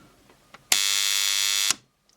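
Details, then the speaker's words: Cheap AliExpress USB charger with its smoothing capacitor desoldered, under test: about one second of harsh, steady high buzz that starts and stops abruptly as the arc apparently punches through the insulation inside the transformer; the arc seems not to be DC. "I was expecting it to just Arc through here but I guess it must have punched through um punched straight through the engine inside the Transformer again"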